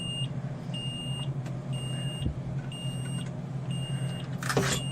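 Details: 2003 Forest River Georgetown Class A RV with 35,000 miles, back from service after an LCI hydraulic jack failure: a high-pitched beep about once a second over idle. The panel shows all-retract and parking-brake-not-set errors even with the brake set.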